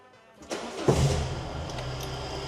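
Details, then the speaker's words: Peugeot 205 with rebuilt carburettor (not yet fine-tuned) and new battery, started cold: brief crank, catches almost straight away, steady even idle, not tappety; normal quick start. "We've got a new battery on it as well. Now listen to it. Now, I don't know if you've heard it running before. You may have. But Ian's got it, so it's more or less on the key straight away."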